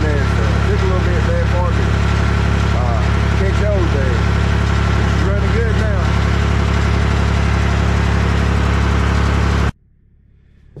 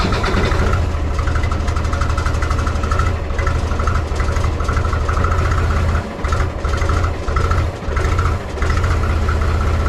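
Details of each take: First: Mahindra 3525 diesel tractor after cold start at 18–19°F, not fully warmed, four to five minutes in; steady, even deep chug with no stumbles, no longer smoking. Normal idle. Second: Mahindra 3525 diesel tractor, cold start at 18-19°F after about a month and a half unused, weak battery boosted with jump pack; chugs unevenly at low idle with dips every few seconds, first four or five minutes: rough cold idle.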